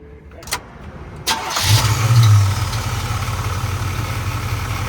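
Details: Barn-find 1979 Camaro V8 restarted on a road trip after a loose fitting that had backed out and caused smoke was retightened: brief crank, quick flare, then a smooth, steady idle with no stumble or hiss; normal.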